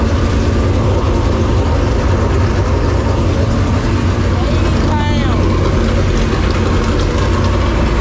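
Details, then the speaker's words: Super Late Model dirt racing V8 just swapped in: deep, steady idle with an even, unbroken rumble and no knocks or misses; good oil pressure, no leaks, at temperature. "oh sounds good good thing you already de you say something all right hey sounds good good old pressure no leaks"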